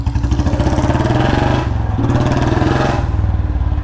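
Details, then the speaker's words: Royal Enfield Bullet Standard 350 single-cylinder, after a new packing gasket sealed an exhaust leak: deep, even thump with steady regular beats and no ticking or puffing. Normal exhaust note. "भाई साहब देख रहे आवाज पूरा seal हो गया यार मुझे अब आवाज इसकी बहुत ज्यादा प्यारी लग रही है यार"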